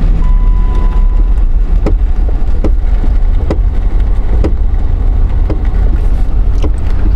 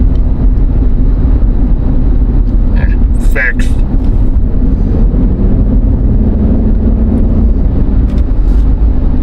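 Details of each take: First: Jeep Liberty with a loud knocking while coasting without brakes, seeming to come from the front but located at the left rear: sharp irregular knocks roughly every second over road rumble while rolling, a wheel working loose on its studs. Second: Jeep Liberty 3.7, final test drive after securing a loose rear wheel that caused loud knocking when coasting: steady road and engine rumble at cruising speed with no knock or clunk; everything sounds normal.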